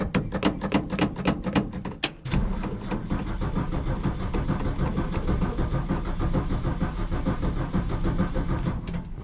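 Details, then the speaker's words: 1965 Ford F100 Custom Cab (fitted with a '66 grille), not run for about a week: the starter cranks sluggishly for about two seconds, then the engine catches and settles into a steady idle. Slow cranking; owner suspects a weak battery. "like my battery's not having it here"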